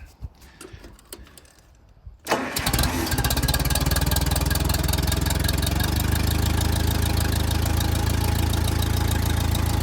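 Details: 1959 Case 300 tractor, updraft carburetor, warm day, shuttle clutch disengaged: cranks with throttle, catches cleanly, settles to a steady even idle; rebuilt generator now charging, voltage slightly high around 15 V.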